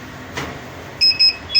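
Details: Luminous Hercules 1600 12 V inverter running on battery only, no mode on, voltages checked fine: short sharp high-pitched beeps in quick pairs repeat continuously; fix shown is unplugging a rear wire connector. Continuous inverter beeping.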